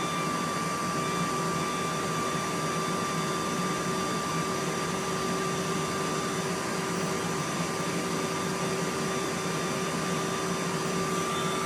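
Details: Inline centrifugal ventilation fan, full speed, about 700 cubic metres per hour airflow: steady, even rush of air with a constant faint hum, no rattles, scrapes or wobble; normal operation at full speed.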